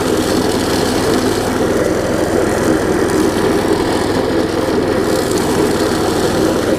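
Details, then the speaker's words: Large weed trimmer with a new carburetor and repaired belt, carb still not perfect: even, steady buzzing run with no misses or surging, a bit loud but nothing too bad; normal running. "so you hear it runs gets a little loud but nothing too bad"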